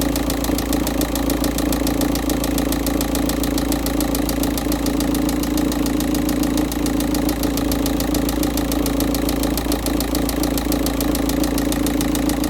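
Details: Volkswagen Touran 1.9 TDI diesel, cold start at 13.2° engine temperature with thick oil: steady deep knocking about two per second under the clatter, getting louder as oil warms; sump removal found cylinder three big-end bearing failed.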